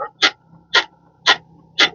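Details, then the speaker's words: Fiat Fastback with 14,000 km, suspension rocked: rhythmic rubbery squeaks about two a second from the control arm bushing, found at low mileage. "Ele consegue escutar o barulho, dá trabalho, pessoal. E o barulho é aqui, ó. Ó, é na bucha de bandeja, tá?"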